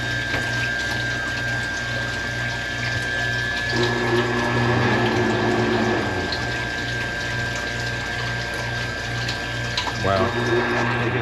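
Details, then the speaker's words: Manitowoc ice machine: steady low pump hum under fast water pouring over the evaporator grid, flow strong, may need throttling; normal circulation. "Okay, now it's pumping over the grid, but man, it looks like it's hauling balls."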